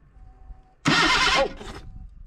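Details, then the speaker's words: 1979 Datsun sitting about 30 years, low miles, starter jumped directly: short burst of starter whirring with no firing; engine cranks but doesn't start yet. "we have crankage that's a good sign at least the starter works now we just gotta get fired everything now we have crankage and everything like that no rat nest in there"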